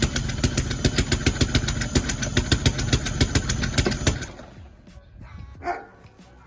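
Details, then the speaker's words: BMW E46 idling with an uneven, stumbling, jumping pulse for four seconds before cutting out; owner suspects a misfire, cause not confirmed, plans to pull intake apart. "so you see it clearly doesn't sound good but we're gonna have to figure it out but from the jumping sounds like a misfire"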